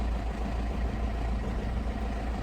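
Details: 2005 Citroen C3 HDi XTR diesel, 91,591 miles, bought unseen: heavy, low idle that sounds uneven and labouring, nothing else in the background.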